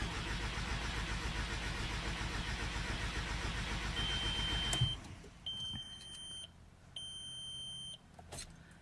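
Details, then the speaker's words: 2001 VW Jetta GLS 1.8T cranks at a steady beat with no catch, sometimes firing three or four times, right after a starter replacement with a fully charged battery and new spark plugs; cause found: faulty coolant temperature sensor. "I know it's getting fuel because sometimes it does fire like you'll you'll hear it fire like three or four times but it won't actually completely turn on"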